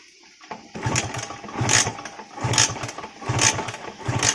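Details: Kawasaki Ninja two-stroke, after a short-circuited, burnt wire was found and jumpered, crackles into life after a few kicks and settles into a revving run; it now starts and runs normally.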